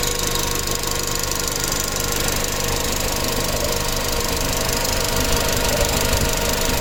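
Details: Audi B7 A4 1.8T, tuned, metal injector cups, new cam chain tensioner, new purge valve, upgraded fuel pump, no codes; quick light top-end ticking about three per second only at hot idle; low tensioner oil pressure suspected, injectors questioned.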